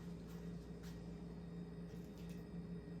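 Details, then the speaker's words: Restored Snoopy ceiling fan running on high after a startup sound: steady low motor hum with a soft air rush and strong airflow, running normally. "motor's humming the white brackets on the blue look really good"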